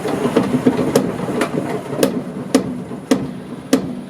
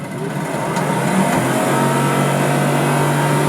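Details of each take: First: Car drivetrain raced up with wheels spinning: loud, unevenly spaced metallic clanks about every half second come from the drive axles; axle clanking. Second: Motor spun on its own to check balance: spins up to a steady hum, constant low tone, no rhythmic thumping, not shaking the car; not perfect but the motor is not out of balance.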